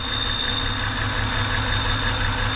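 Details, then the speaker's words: 2007 BMW X3 N52 at steady idle: constant high-pitched whine from the rear main seal as excess crankcase vacuum draws air past it. "that's the rear main seal screaming because it's basically sucking itself in and it's the air passing through from atmosphere into the crankcase through the seal and it makes that whistling no"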